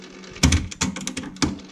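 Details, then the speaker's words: Sony TC-RX80ES auto-reverse cassette deck (c.1988) switched to reverse without tape. A few mechanical clunks and a short whirr as the two-track play head turntable spins 180° the other way. Normal auto-reverse head rotation. "can see that's spinning around the other way so that's how the two track playheads work in an auto reverse deck"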